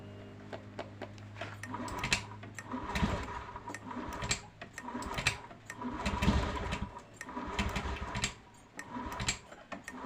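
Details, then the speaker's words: Honda Beat FI scooter after a battery replacement: it idles only, and on throttle it surges and sags about once a second without picking up; an intermittent misfire. "kalau kita gas dia brebet seperti tidak bisa ya tidak bisa diangkat gas ya teman-teman"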